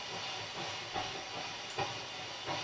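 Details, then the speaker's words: Loud steady hiss with three brief scratchy crackles as a knob turns on a Mackie SR24-4 mixer, output cranked through a bass amp after pot cleaning; this potentiometer is still noisy and needs more cleaning. "as I turn it up you can hear the pot making noise"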